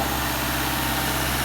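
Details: Subaru boxer engine after timing belt work with the marks aligned: a smooth, quiet, even hum at idle with no knocks or ticks. Healthy after repair.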